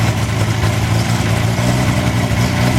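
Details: Wolseley 14/56–14/60 six-cylinder engine on a test stand after years in storage, first start with the choke on: steady, even low idle with a smooth beat and no knocks or taps underneath; healthy.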